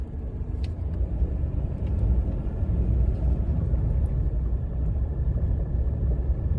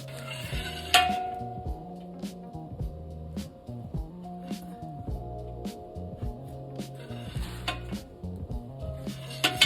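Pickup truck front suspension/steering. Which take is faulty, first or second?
second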